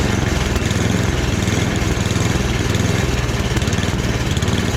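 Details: Free snowblower after a full rebuild, small single-cylinder engine at medium throttle buzzing along steadily with even firing and no hunting or surging. Transmission works; sounds healthy.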